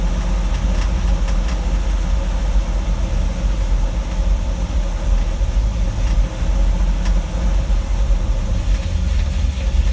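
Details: 1960 Dodge W300 Power Wagon, Poly 318 V8 with a Holley 2300 2-barrel 500 CFM carb and manual choke. Deep, steady V8 rumble at a fast idle with no dip or hunt after a hard start; idling too high.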